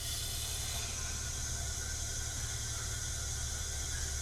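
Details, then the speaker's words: 1979 Chevy small block, likely 350, leak-down test: steady rushing hiss of compressed air past the piston rings, felt coming out of the lifter holes; significant blow-by from worn rings. "and as you can hear this thing does have pretty significant air going by the rings you can actually feel it coming out of the lifter holes"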